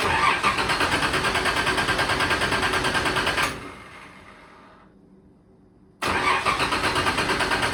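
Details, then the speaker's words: Turbo Nissan Z31 cold start after sitting a while, tune not finished, new exhaust: uneven, lumpy idle pulsing about three times a second, then dies and refires. Rough running and stalling; owner blames the unfinished tune. "It does take a little bit just because the tune's not there all the way, but we'll get it started."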